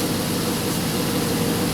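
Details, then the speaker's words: Dodge Hemi after camshaft position sensor replacement for hard starting, stalling and code P0340, codes cleared: steady, even idle under a loud hissing exhaust roar. The engine runs smoothly; only the muffler is noisy. "I'm really feeling that it's running a little bit smoother before that could just be my imagination but uh yeah other than the muffler it sounded good so hopefully we'll be good to go"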